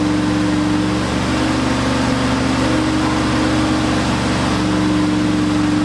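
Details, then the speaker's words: Turbo Ford F100 360 FE V8 during cam break-in, running hot, something rubbing; lumpy laboring drone, runs poorly; timing chain later thought to have jumped, retarding timing, and pistons likely contacted valves. "Obviously, the timing chain failed. It must have jump time and that's probably why this thing was so hard to get running and ran like absolute and it didn't seem like we could get the timing right at all."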